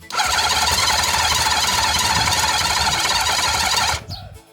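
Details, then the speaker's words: Honda CB750 with 65,000 miles that sat outside for about a decade and seized, cranked on a battery pack with fuel added by syringe. A steady high whirring crank lasts about four seconds and it never fires on the second attempt. "that was the second time, still nothing."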